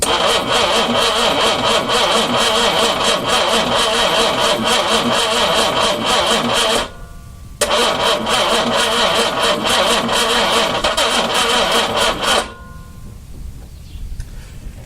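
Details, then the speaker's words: 4.2 engine turned over for the first time, carbs primed by spritzing gas, ignition hooked up: fast, steady cranking with a few ragged catches that die out; fuel has to be drawn down the empty intake manifold passages first. "The gas has to get sucked down the empty passageways of the intake manifolds. That takes a little bit of time."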